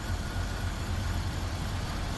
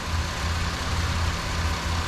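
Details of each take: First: Buick Rendezvous that failed to start, now idling: uneven lumpy idle with irregular low thumps and shaking, heard at the muffler; P0300 random misfire and 1189 oil pressure switch codes stored. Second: Buick Rendezvous that wouldn't start, now running at the shop with misfire complaints, EGR to be removed and cleaned: steady, even low idle rumble with no stumbles or skips; idling smoothly.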